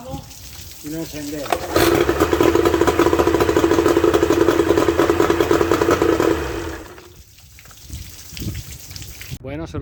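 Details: Suzuki 30 HP two-stroke outboard after freeing stuck piston rings and powerhead reassembly: catches and settles into steady even buzz with regular firing pulses for several seconds, then throttled down; normal running.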